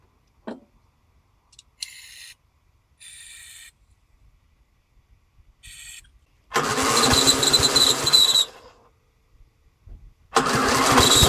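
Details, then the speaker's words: Briggs & Stratton single-cylinder engine on a Yard King mower, after extra priming, air filter off: a few dead cranks, then it catches and settles into a fast, busy run with a rattly edge; starting normally. "aha now she's running right let's uh get the air filter on two primes"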